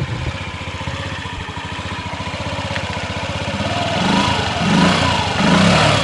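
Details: 2003 Honda Ruckus scooter after carb jet work, the old jet pretty much useless. A quick, even putter at idle with a few light throttle blips, settling back without stumbling. Normal idle.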